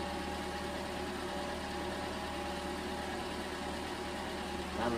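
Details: 2011 Toyota Camry 2.5L 4-cylinder, first start after replacing an engine with bad compression: low, smooth idle hum holding steady for several seconds with no knocks or misses, idling fine after starting first try.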